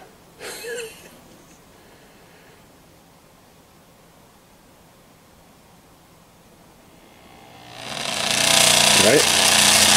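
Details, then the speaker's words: Montgomery Ward Airline 74WG-1510A tube radio: quiet, then a loud rushing hiss and crackle. AC noise from a missing B-minus to chassis coupling capacitor, heard before it was reconnected. "let's hear the noise again without it being hitched up never was making all kinds of noise"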